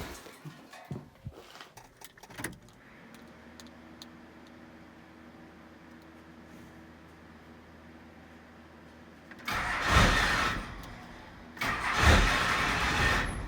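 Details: First-gen Cummins diesel truck being started while it is turned up, with a license plate ready to block the turbo inlet if it runs away: it settles into a very slow, soft idle, then revs. Idle is too low from underfueling.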